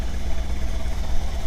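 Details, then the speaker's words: 1997 Camaro saved from the crusher, wasted-spark ignition, blipped to about 3,000 rpm; deep uneven stumbling idle with dropped beats, likely two cylinders dead, a coil suspected. Misfire on two cylinders. "definitely dead on a cylinder or two probably that wasted spark ignition it's probably a coil if a coil is out uh it's going to have two cylinders that are"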